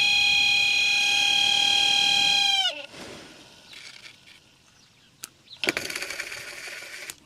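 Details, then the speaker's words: Holden HK new replacement heater box blower fan motor, bench-tested: loud steady high-pitched whine, then quick wind-down when switched off; noisy but left unrepaired. "Well, it's noisy, but I'm not going to pull it apart and try and fix it."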